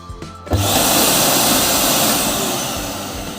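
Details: Samsung SC4326 vacuum cleaner after repair for burning brushes caused by a faulty motor armature: on test before the screws go back in, the motor spins up fast to a steady high rushing whir with an even pitch, no scraping or stutter; runs normally.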